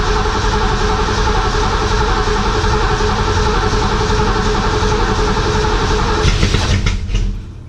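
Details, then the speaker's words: 1967 Mustang 289 V8, first start after rebuild, timing not yet set. Long steady cranking, about 3.5 turns a second, never catches. Plug wires fitted clockwise but distributor spins counterclockwise, firing order reversed. "alright guys I'll be honest with you first fire up sucked recent being is I didn't pay much attention and the distributor on this tuning on spins counterclockwise well when I put the plug wires on I put them on clockwise so it's firing completely opposite of what I needed to"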